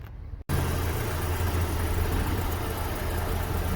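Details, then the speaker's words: MG ZR that sat unused a long time, with coolant in the oil (head gasket suspected, owner hopes moisture): engine settles to a smooth, even idle with no ticks or misfires; starts, revs and pulls fine. "the car certainly sounds good as well as looking quite nice the engine sounds nice it pulls well no issues with starting or revving or any of the above"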